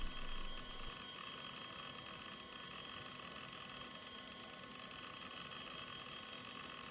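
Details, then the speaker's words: Old IDE hard drive passed Check Disk and a full ScanDisk surface scan with no bad sectors: quiet steady spindle whine with soft, irregular seek ticks, no grinding or clicking loops; normal, healthy operation. "So yeah, this hard drive appears to be working fine. So again, some sounds from the hard drive, and then also the shutdown."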